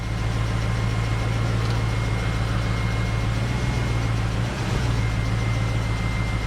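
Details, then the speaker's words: BMW X5 first start in over a month after oil, fuel line and intake manifold work: steady idle with light, fast ticking from lifters still a little sticky; no smoke, no check-engine light. "lifters are still a little sticky so you can hear a bit of ticking but let's check under the hood"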